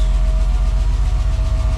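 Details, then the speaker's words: BMW E34 Touring, M50B20TU dry about two years, just started after an oil pan replacement and fresh oil, oil light out: a heavy, deep idle with uneven thumping pulses and loudness dips. Rough running with a knock, cause unknown, owner hopes it smooths out. "Wow it runs yeah okay that's a weird sound but let me see okay oil indicate our won't start up so I think it's good to see the engine also it's kind of a bad sound but let it work maybe it will smooth it out"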